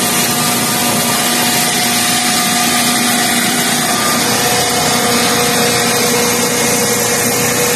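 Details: Pre-Nexus generator after no-start repair with new batteries, terminals and starter, choke plate checked, warming up: steady high-pitched drone at constant speed, no surging, misses or knocks; running properly.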